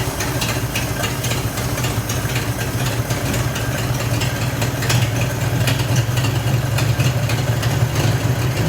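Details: Mid-1940s Ford F5 one-ton dump truck, flathead 8BA V8, first start in years after freeing stuck valves; carburetor accelerator pump dead, primed by hand; low, steady, even idle with soft regular pulse, no knocks or misses: normal idle.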